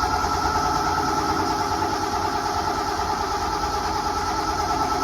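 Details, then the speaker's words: Carbureted gas engine with mechanical fuel pump in a roughly 43–44-year-old truck, started on choke on the coldest day yet; steady, even fast cold idle, no misses or knocks; normal cold start idle. "So, I mean, it might take some cranking because this is the coldest it's been since we've had this truck to try and start it."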